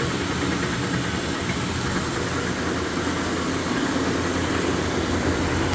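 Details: Speed Queen TR washer running: steady churn with an irregular rattling knock about three a second, caused by play in the drive pulley after the pulley nut loosened.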